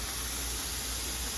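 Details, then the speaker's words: Electric water-bath canner processing two quarts of bread and butter pickles, timer set to 10 minutes: steady, even hiss of venting steam with faint low hum, no sputtering; normal steam venting at working boil. "And it'll start spinning like this, but then we have the steady stream of steam."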